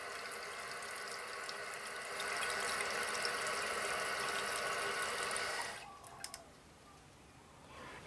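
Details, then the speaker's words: Toilet tank refilling with new Fluidmaster fill valve, refill tube aimed at the inside of the overflow tube for quieter filling: soft steady hiss then clean shut-off; quiet normal refill after replacing the leaking valve, no leaks. "I just aimed this so that it's hitting the side the inside of the tube rather than going straight down so that it's more quiet as it feels"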